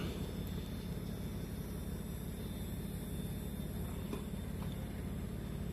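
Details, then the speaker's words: 2007 Pontiac G6 GT convertible, 85,000 miles, years in storage, top raising: steady, even low hydraulic pump drone without strain or stutter as the front cover and top come up; hydraulic top working normally. "Front cover comes up and up comes the top. These tops can be problematic. They've got a really complex hydraulic system."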